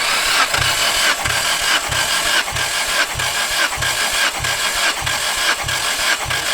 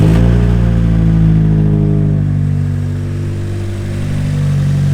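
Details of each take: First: Nissan S14 engine with misfire, compression test while cranking: starter turns at an even pace, about one and a half strong, equal puffs a second; cylinder one reads 145 psi, others about 138–151 psi; compression healthy. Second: Nissan S14 petrol engine revving after a new filter was fitted: uneven, stumbling beat as the rhythm breaks up, still misfiring.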